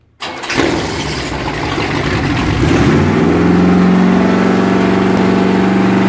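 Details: Chevy 383 stroker V8 in a Corvette C3, first start after four months of engine rebuild: the starter cranks briefly, the engine catches and settles into a steady, even idle with a smooth rev. Normal start and rev, sounds healthy.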